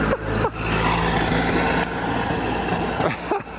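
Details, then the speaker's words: 1930 Ford Model A pickup, off the road since 1986, test drive after fuel tank cleaning: uneven, stumbling engine note surging and sagging with ragged firing; fuel starvation, suspected debris in the fuel valve slowly trickling fuel into the carburettor bowl. "Good luck getting up a hill with the engine sputtering like that. Yeah. Because it's probably just slowly trickling into the bowl, and because been sitting for 5 minutes."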